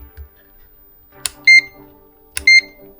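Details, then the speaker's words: GVDA GD170D clamp meter in a quiet room gives two short, shrill high-pitched squeals instead of a reading while trying to measure inductance (mH to 20 H range); unit suspected defective or misused, cause unknown. "Чуєте? Якийсь високочастотний писк. не працює."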